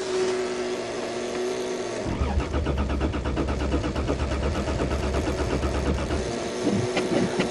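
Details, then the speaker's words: Toyota Cressida in snowy December cold start: even starter churning for about four seconds, steady pulses, never firing; cranks but no start, owner suspects ice in the fuel lines from water in the fuel. "think we got ice in the fuel lines because water gets in there. Oh well, the Cressida don't start."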